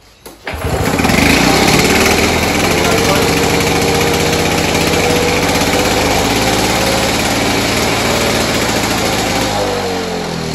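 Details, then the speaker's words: Victa Turbo Disc two-stroke lawnmower after a carburetor service (new primer cap, needle, cleaned main jet) and pull-cord fix: starts on the first pull and settles into a steady, even buzz without stumbling. "first pull after we've done that little mini restoration on the carburetor and fix that boot not bad for a free Vector off the side of the road"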